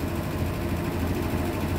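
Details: Hitachi SF-120HJ top-load washer, treated for a loud spin, now with new 65 cm shocks replacing the 66 cm originals. A steady low drone comes from the drum at spin speed, even and free of banging; the suspension holds the tub steady, running normally.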